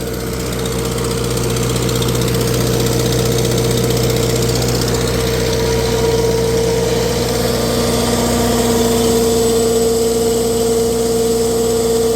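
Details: Tractor on a dyno at steady idle, an occasional stumble breaking the rhythm: a slight miss, cause not yet found. The exhaust manifold is cracked and was JB-welded.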